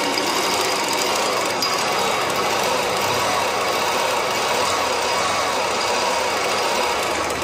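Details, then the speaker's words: Honda Unicorn motorcycle engine at idle, head top opened and timing pads fine: steady harsh gravelly rattle persists (noise unchanged); magneto cover must be opened, and if nothing found there the crank bearing must be checked. Finding: crank bearing rough noise. "మనకి noise అయితే మాత్రం అలాగే వస్తుంది ఏంటి ఈ noise అనేది తెలియాలంటే మళ్ళీ మనం మానెట్ కవర్ అయితే ఓపెన్ చేయాలి భయ్యా"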